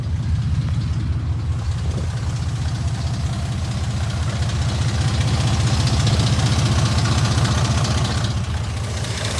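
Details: 2002 Dodge Ram 4.7 V8 idles with a fast, steady rattle over its deep rumble from worn timing chains, guides and tensioners, recorded before repair; replacing all timing components fixed it.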